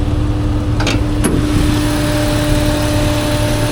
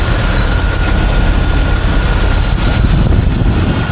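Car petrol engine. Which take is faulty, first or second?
first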